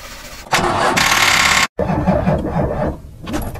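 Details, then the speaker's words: Car cranks but won't start: starter spins the engine briefly, pauses, cranks again, never catches. Suspected lack of spark at the spark plug (bad plug), with fuel problems or low compression as other possible causes, not confirmed. "si este es el problema lo más probable es que el motor intente encender pero no lo logre"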